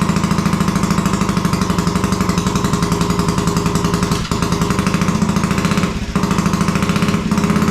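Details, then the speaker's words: Royal Enfield custom bobber just rebuilt, first start off the bench: single-cylinder thumping at fast idle with occasional uneven popping; runs but needs adjustments to smooth it out. "at least we've got life that's good everything sounds sweet it's a little bit Poppy so I reckon I'm gonna have a few few adjustments now"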